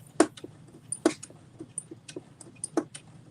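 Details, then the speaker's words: Combination sewing/embroidery machine sewing: dull clunk roughly once a second over light ticking, seeming to come from below rather than up top; cause unknown. "I don't know why it's clunking. You hear that? Like, Mm-hmm."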